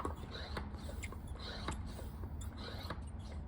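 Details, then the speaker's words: Brand new 3-2-1 Coyote engine for a 2008 Mustang road race car, pre-lubed with engine still: light chirpy squeaks in short bursts about twice a second over a low rumble as oil reaches dry rockers on both sides; normal priming noise. "can kind of hear some squeaking. Like little baby birds coming to life. Even on the other side, I can hear it."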